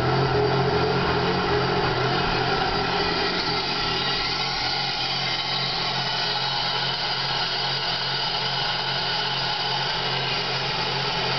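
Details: 2001 Pontiac Grand Prix GTP petrol V6 rough idle, a slightly uneven wavering low hum under hissy top-end noise; car had stalled on the freeway, IAC valve found bad, later jerked and shifted hard (transmission slip suspected).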